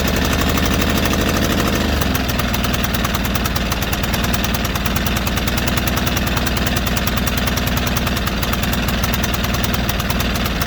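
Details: White Outdoor LT542G riding mower twin in a cold shop, running rough, drinking gas and putting fuel in the oil: it runs lumpy and uneven, the firing beat stumbling and hunting instead of holding steady. The carburetor main jet was found missing.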